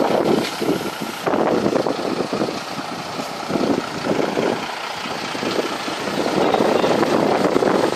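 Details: Broken boat engine running: loud uneven clatter with irregular surges over a low drone, no steady rhythm, sounding badly worn; rough running, and the engine is said to need replacing with a new one.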